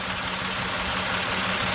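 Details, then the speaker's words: 1997 Toyota 4Runner, 5VZ-FE V6, 270,000 miles, idling: steady hum with an uneven, stumbling beat and audible RPM hesitation, engine shaking; code P0304, misfire on cylinder 4. "hopefully you can hear the hesitation it's only for one cylinder there's even audible hesitation in that RPM when it idles"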